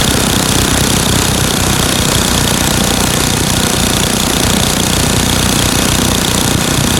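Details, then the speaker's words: Craftsman 9 hp Tecumseh snowblower engine after fixing surging by adjusting the governor speed-control spring tension and setting the screw to about 3600 rpm (tachometer attached): fast, even running with loud crackling exhaust, no rise and fall. "and you can see that this was not doing this motion anymore so now I've gotten rid of the surgeon just by adjusting the tension on the spring here"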